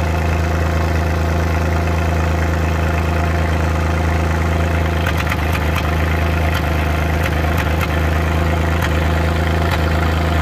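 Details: Suzuki Multicab F6A at idle: steady idle broken by irregular sharp "Tak...Takatak...Tak" taps and stumbles about every second, random misfire.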